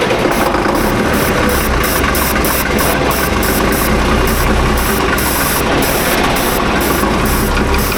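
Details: Tractor diesel with loader, after a new turbo and injectors for high EGT and bleeding air from the fuel system (ether considered): loud, steady clatter with even firing, no stumbling or misfire. Normal running.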